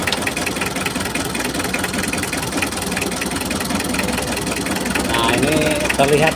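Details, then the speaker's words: Mitsubishi L300 diesel (unstable sound, weak power, high fuel use) at idle with injector lines loosened one by one: a loose, uneven clatter; cylinder 3 nozzle appears clogged and no. 4 gives no output. "lihat nomor tiga, teman-teman. Sepertinya bagian noselnya tersumbat."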